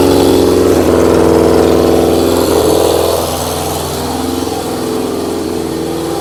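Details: Carbureted engine with vacuum-fed carbs, no air restriction, running on old fuel: lumpy, uneven idle around three pulses a second with an unsteady beat; rough running from unrestricted intake air.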